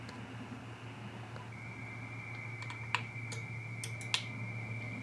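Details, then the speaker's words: XPA125 antenna tuner with 9:1 end-fed random wire antenna: two sharp crisp relay clicks about a second apart over a quiet hum when the tune button is pressed; normal relay switching during tuning. "can hear the relay clicking inside. I don't know if the camera's picking it up or not, but you can hear the relay click when you hit the tuner button there."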